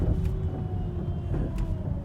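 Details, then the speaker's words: Volvo XC90 V8, 151k miles, driving after replacing the badly worn driver-side strut mount: ordinary road and engine rumble, no squeak or clunk over bumps; right side still suspected of some noise. "yeah there's no more squeaking or any like clunking noise whenever i get a bump"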